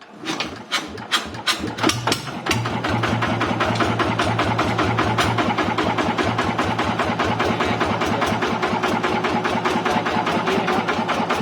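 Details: TF115 engine upgraded to 150: the starter catches, then it settles into a steady, even idle with evenly spaced firing pulses and no top-end ticking.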